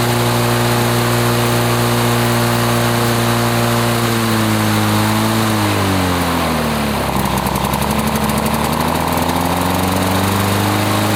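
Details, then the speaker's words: 1980s Lawn-Boy two-stroke mower that wouldn't run after running out of fuel, test-run after service: even two-stroke buzz that sags mid-clip then climbs back to a steady high speed; first left on choke and wanted to stall; runs 3480 rpm, fine. "RPM she runs 34.80 which is fine"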